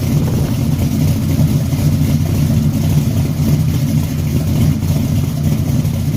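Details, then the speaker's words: 1974 Chevy Caprice V8 after tune-up, cold start: deep, even idle rumble with no stumbles or skips; an earlier exhaust-audible misfire was cured by adjusting the valves. "once I got the fooling around with these valves um shoot everything got to working like it's supposed to sounding good yeah"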